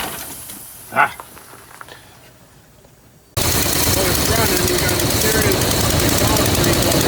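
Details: Classic Chevy ramp truck V8 on a charged battery and a little fuel, after a shorted wire that had killed the coil module: quiet click, then the engine catches and settles into a steady, even roar with no misfire or stumble.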